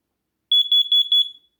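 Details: Small home smoke alarm kept close by, during a round of smoke and CO alarm tests: eight quick shrill high-pitched beeps in under a second, then silence; the alarm sounds properly on test.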